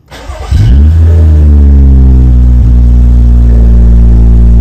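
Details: BMW F10 535i N55 just after replacing low-pressure fuel pump with aftermarket ~450 l/h stage 2 pump (fitted for random stalling): quick crank, catches, rises, settles into smooth deep steady idle; pump working, fuel reaching engine.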